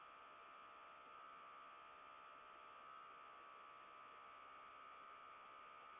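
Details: Samsung RF25HMEDBSR French door refrigerator suspected, recorded by living-room camera around 3AM, lasting about 30 seconds: constant airy whoosh with faint thin whistle, no pulsing; unexplained whooshing, source uncertain.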